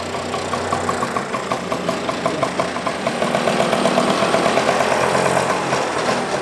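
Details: Vespa with breaker-point ignition at a spring service check: small two-stroke popping evenly at idle with crisp, regular firing and no misses or rattles; it started very well, normal idle.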